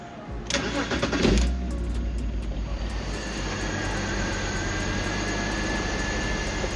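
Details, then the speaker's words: BMW 330Ci cold start: catches after a short crank and pops, then an uneven, lumpy, shaky idle with misfires; car died three times when just moved, cause not yet found. "But you're getting a very very rough idle. Getting some of the misfires."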